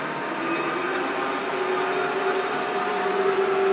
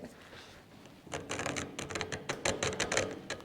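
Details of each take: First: Creworks 8x16 mini metal lathe, cover off, after lubricating the gear train: smooth, even whir with steady mid-pitched hum, no clatter or grinding; much quieter than before, normal running. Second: New Creworks 8x16 Chinese mini metal lathe, gears turned by hand after filing a welded seam: uneven clicks about three a second, smooth then grabbing with sharper snags where teeth catch the weld; still slightly tight after filing.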